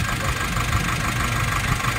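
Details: Nissan NV350 diesel with severe engine vibration and no check-engine light, tested by pulling injectors one at a time: heavy, lumpy idle with an uneven low shake and faint irregular knocks.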